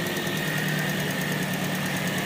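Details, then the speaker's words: Toyota Vios that misfired when cold, restarted after the fix: steady, even idle hum with a constant whine and no stumbling or dropouts, cylinders now balanced and no longer near stalling; normal idle. "ba good na siya hindi na ung Katulad kanina talagang Ano yan Sige pre o parehas na Oh hindi na yung Parang mamamatay talaga siya oh parehas na sila lahat yan"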